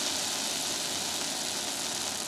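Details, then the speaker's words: Old-school 1970s–80s skateboard loose-ball bearings, freshly cleaned and wheel nut just tightened: smooth, even high whir from the spinning wheel with no clicks, rumble or grinding; bearings running free and clean. "and uh yeah that's loose ball bearings they're very easy to adjust"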